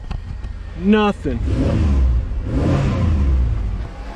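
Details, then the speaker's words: 4th-gen Camaro after a misfire from a broken spark plug was fixed and the coolant refilled following an overheat: idle fine, engine picks up cleanly on a quick blip and settles back evenly, with no stumble or miss; normal revving. "she sounds so smooth she sounds nothing like when she overheated on me"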